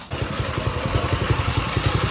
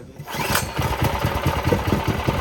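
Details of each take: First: Stretched old-school Doodle Bug mini bike after engine swap, small single: quick thumping about eleven beats a second with a rough uneven edge; something leaking, chain later pops for lack of a tensioner; cause of noise unclear. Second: Doodle Bug mini bike, small engine after swap and centrifugal clutch fitted, first start with a small fuel leak: quick chuffing pulses about four a second catch and settle into a steady, even run; starts and runs fine.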